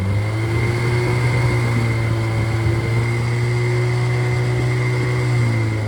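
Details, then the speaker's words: Rebuilt Triumph Spitfire/MG Midget 1500 four-cylinder with shaved head, flat pistons, 270 cam, enlarged intake valves and aluminium flywheel, 190 psi compression: a smooth, even low drone at steady idle with no ticks, knocks or misses; healthy idle. "So, I'm going to run it and uh let him hear it run and uh we'll we'll rev it up to uh get the RPMs up a little bit and let you listen to it."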